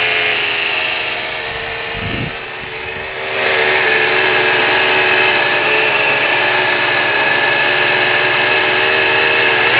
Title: Weird engine noise.